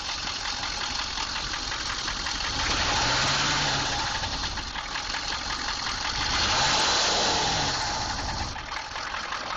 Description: 6.2 engine knock